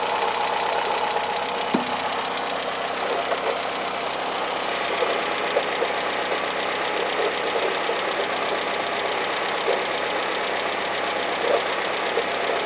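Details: Cold engine that also consumes oil: light, somewhat uneven tapping over the idle, present throughout; strange top-end tick inside the engine, cause unknown.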